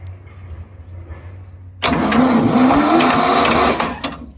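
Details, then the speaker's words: Machine abandoned in the woods 35 years with a swapped-in Ford engine, freed up and cranked on its starter motor; after a quiet start the starter grinds about two seconds with a heavy, uneven churn. "Okay. compression, I'll be honest, doesn't sound great. Does not sound great at all."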